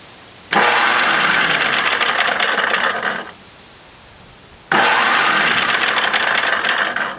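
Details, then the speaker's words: Tecumseh starter 33290E back on the machine after its stuck, rusty bendix was cleaned with solvent and compressed air. Spark plug removed so it spins faster without starting. Two fast, even cranking bursts with no grinding: the starter engages normally. "I took the spark plug out of this so that it'll turn over faster and it won't start so that we can just test it to see if it engages"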